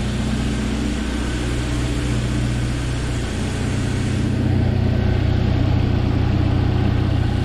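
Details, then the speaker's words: 1997 Jeep Wrangler TJ 2.5L four-cylinder just after full engine rebuild: smooth, quiet, even idle with steady low drone, tight sound, faint light clicking, no knocks or misses; healthy. "hear that on camera it's really quiet got a good tight sound so i love it"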